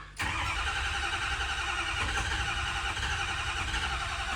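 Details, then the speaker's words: Ford 6.0 Powerstroke F350 diesel at home after tow, ICP bled of air, ICP reading 1500 while cranking, fuel present: steady starter cranking that never catches; injectors not firing, traced to faulty FICM connector; crank no-start. "all right so looking at the codes because it's it's still just cranking and not starting it has fuel"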